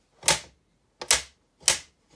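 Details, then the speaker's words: Modern household fan, tilt adjustment (tilts up to 90° for wall mounting): four sharp loud clicks about half a second apart as the head tilts; the tilt ratchet is simply noisy, a noted drawback, nothing broken. "a big disadvantage for a to adjustment mechanism it's really loud"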